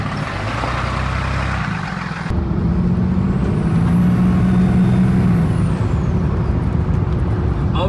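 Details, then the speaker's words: Dodge Ram 3500 diesel (2012 converted to 2020 front end) on its first test drive with a new cold air intake: a high turbo whistle climbs over the rumble under throttle, then falls away. Turbo is louder and crisper, with healthy spool. "you can definitely hear that turbo a lot louder and it's a lot more crisp"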